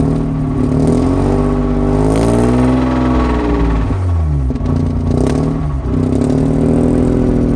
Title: Mazda rx 8 rattling noise from engine